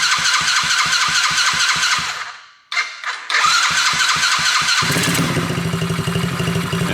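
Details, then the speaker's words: Coolster 110cc dirt bike first start on a new PZ20 carburetor, on choke: even chugging turnover, a brief stall, then catches and settles into a quick steady putter; starts and runs normally after carb swap. "Choke. That sounds weird. Oh, she didn't like that. Seems like that'd be okay."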